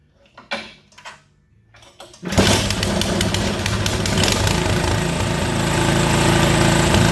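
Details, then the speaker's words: Toro snowblower small single-cylinder engine after carburetor cleaning and reassembly; after a few handling knocks it catches and settles into a steady, even single-cylinder idle putter with no misses, running good. "she runs good"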